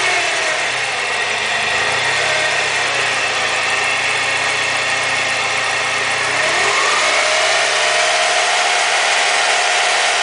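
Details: BMW E36 with M42 engine after a timing chain replacement: steady idle with a busy high-pitched rattle and whirr above the engine note, dipping as revs change; abnormal engine noise, likely timing chain related.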